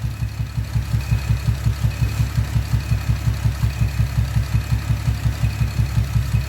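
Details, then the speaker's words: Camaro with loud exhaust at idle, misfire: lumpy, regular low thump about every third of a second; disconnecting the rear bank left idle unchanged, so the front bank (cylinders 1, 3, 5) is suspected; coils being swapped to move the misfire. "So yeah, it stayed the same. We're gonna pull that coil out, swap them, and see if the misfire moves to a different cylinder."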